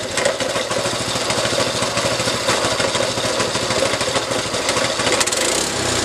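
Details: Resurrected small go-kart's single-cylinder engine firing up after fuel and throttle linkage were fitted: a quick, even popping beat that holds steady without misses. Running fine.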